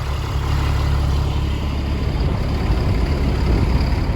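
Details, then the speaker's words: Caterpillar 3126B diesel in a 2000 Holiday Rambler Endeavor, 92,000 miles, after oil pump and bearing replacement for low oil pressure, started at about 45 degrees: deep, even rumble with no knocks or ticks; healthy idle. "I should make sure that this engine sounds good too. Yeah, it sounds great. There is absolutely nothing to complain about in that sound. Sound of cat power."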